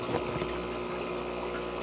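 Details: Aquarium air pump set on a filter cartridge holder with rubber feet sitting in its grooves to stop buzzing and movement: a soft, even low hum with a faint watery bubble and no buzzing or rattling; normal quiet air pump hum.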